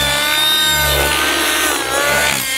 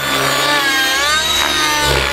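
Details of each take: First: Synergy N5 nitro RC helicopter in flight before going lean: a high, steady engine scream with slight rises and dips, running normally with a good smoke trail. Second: Synergy N5C nitro RC helicopter in flight: high, wavering engine scream, thin and edgy with pitch swinging under rotor load, tick-tocking then crackling; engine running lean.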